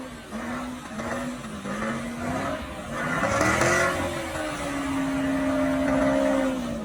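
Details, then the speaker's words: Modified Chevrolet Camaro SS "Bruce" with a slight torque drop. In manual mode, revving very high near redline for a burnout, a clear singing tone climbs sharply. Cause of the high note is unclear; owner is checking spark plugs and misfire. "So I was in manual mode and I was revving up to do the burnout, and I revved pretty high, and I heard, I don't know, it went to a really high pitch."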